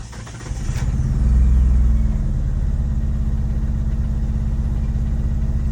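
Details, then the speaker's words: Mitsubishi Eclipse/Talon 2G that won't start after being cleaned, started after 10-second fuel pump prime: cranks, catches, revs up, then settles into an uneven lumpy beat, reportedly running on only a couple of cylinders, Subaru-like; possibly misfiring. "But the guy says that it's only running on like a couple cylinders or some shit. It sounds like a Subaru."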